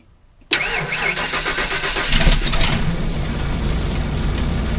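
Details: Engine in park, runs poorly under road load, owner suspects a malfunctioning sensor: cranks briefly, catches with an uneven stumble, settles to a ragged idle with a squeaky belt squeal; rough start.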